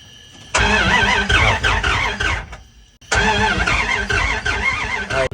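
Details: 1994 Dodge Ram 1500, 318 V8, manual 4x4, sat 8 years: two bursts of steady cranking with clutch down, turning freely but never catching; only trickling fuel delivery suspected.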